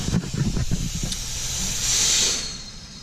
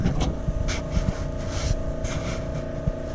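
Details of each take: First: Boost leak test pressurizing the intake with about 15 psi of shop air; sharp steady air hiss from a leak in the charge piping, later temporarily fixed; boost leak hiss. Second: Truck charge-pipe boost leak test, intake pressurised: steady hum with only handling knocks and no hiss on this side, while welded joints on the other side leaked. No boost leak.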